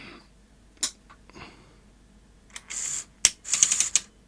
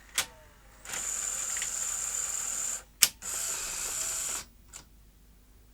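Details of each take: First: Sony SL-HF600 NTSC SuperBeta VCR on power-up after refitting the board with two leaf switches and resetting back tension: irregular clicking and ratcheting bursts from the tape mechanism. It still thinks a tape is loaded and is misbehaving. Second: Sony SL-HF600 NTSC SuperBeta VCR, after the mechanism was fixed: clean clicks, two smooth motor whirs with a sharp snap between them, then soft clicks; the cassette eject cycle is normal.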